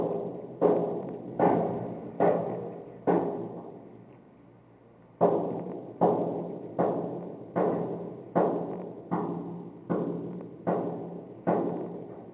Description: This is the banging noise that woke me up one morning. It went on for several days. No notices were given out about the construction taking place in the basement.